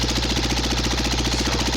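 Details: Cub Cadet Model 123 garden tractor run with the muffler removed, smoke suggesting oil getting up, microphone near the exhaust opening: steady rapid knocking over the open-exhaust bark at constant speed; a persistent internal engine knock of unknown cause.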